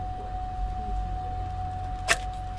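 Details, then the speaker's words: 2007 GMC Yukon with lost CAN network communication from a busted connector with broken locking tab; a single sharp click over a steady high tone as a dash relay clicks, dash lights and messages flashing. "and here's our connector our connector's all busted you hear it clicking inside"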